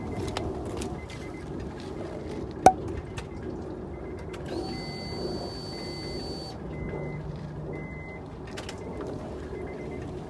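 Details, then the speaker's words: Honda Pilot at key-on with a no-start/click complaint, microphone outside near a rear wheel: a faint steady hum runs about two seconds then cuts off over street noise; the fuel pump primes normally. "we know our fuel pump is energizing, so we know our fuel pump is running"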